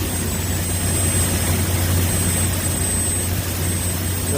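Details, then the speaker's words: Corn grain dryer gas burner running at a fairly good speed with dry corn: loud constant roar of flame and fans, no popping or sputter; the valve constantly adjusts the flame to hold temperature, operating normally. "valve here is constantly adjusting the flame. Up there it's bigger to keep the temperature right inside there."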